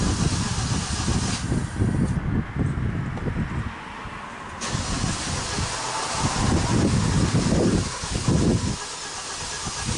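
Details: 2017 Kia Optima 2.4, burning a quart of oil every 825 miles, first start after a Berryman B12 and Liquid Moly flush soak to unstick the oil rings; long spells of starter churning, about three turns a second, with hissing between, a hard start.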